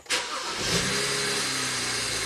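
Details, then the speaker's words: 2009 BMW 335i twin turbo after new OEM camshaft position sensor, codes cleared, intake sensor signal checked; brief crank, clean catch, rises to fast idle and settles evenly; healthy start before warm-up. "we should have no issues at all just let it warm up a little bit"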